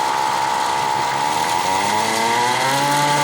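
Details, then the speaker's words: DIY electric motorcycle motor and controller on test: whining motor tone climbing in pitch as it speeds up, rougher and noisier in reverse than forward; cause unclear, owner suspects the controller. "because i tried using the uh the reverse wire and of course it's gonna be uh slower than going forward but uh it makes a noise and i don't like that noise you see there should be reverse here motor is more noisier"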